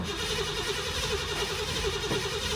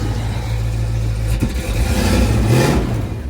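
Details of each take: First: 1990 Ford Mustang crank-no-start; scope shows no PIP square-wave signal from the module (pin 56); starter cranks steadily at about three compression pulses a second but never catches: no spark. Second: 1990 Ford Mustang crank-no-start, just after distributor replacement; engine catches and revs up smoothly and evenly, then settles back with a clean steady pull: normal running.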